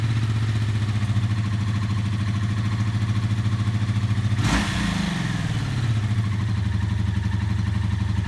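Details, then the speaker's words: Barn-find 1984 Honda V65 Magna VF1100C, first run after the clutch was bled and the fuel was flushed: an even, lumpy V4 idle with one throttle blip that sounds nice. Owner is unsure whether the engine is clacky or on all cylinders; no smoke, small oil leak. "was just sitting ticking over I'm very suspicious of [Applause] [Music] this well that sounds nice"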